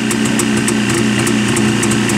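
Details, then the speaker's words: Jawa two-stroke motorcycle just started, prepared for holiday ride: crisp, even putter with light carburettor hiss and steady pitch, no misses or knocks; the hiss in the carburettor indicates everything is right, healthy idle. "И вот это вот шипение, это происходит в самом карбюраторе тогда, когда все правильно, в поршневой все организовано."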